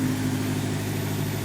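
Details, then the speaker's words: Honda S2000, warm idle just after fitting a Ballade Sports timing chain tensioner and a new VTEC solenoid gasket: a smooth, even, steady low hum with no ticking or rattle on top, much quieter and less sticky than before; healthy idle. "I can already hear a difference the TCT is doing its job sounds much quieter much less sticky"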